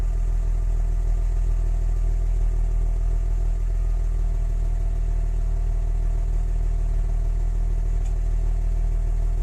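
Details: Audi 100 C4 2.6 engine at steady idle with a dull, fairly quick knock under the engine note; owner asks what is knocking, cause unknown.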